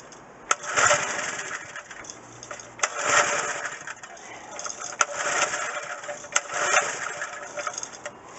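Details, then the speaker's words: McLane edger small two-stroke with a cleaned carburetor, choke down. It catches with a rough buzzing burst, then sputters and cuts out repeatedly. The idle mixture is too lean. "it started for about five seconds and then it just kind of spidered spider sputtered and then shut down"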